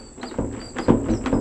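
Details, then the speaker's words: 1965 VW Beetle sunroof after rebuild with new cables and seals: short chirpy metal-on-metal squeaks as the panel slides shut from dry pop-up tabs; a dab of grease on both sides cured it. "metal on metal sound and basically it was just right here there's these little tabs that make the roof pop up like this and I just put a nice dab of grease on both sides and it went away"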